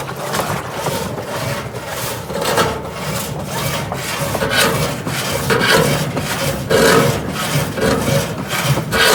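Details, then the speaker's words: GE top-load washer agitating a small load: a harsh scraping grind with each agitator stroke, about once a second, as the sagging tub hits the bottom. Worn suspension rods. "washers trying to agitate now this is a small load motor belt everybody's hitting the bottom and it's gonna get even worse"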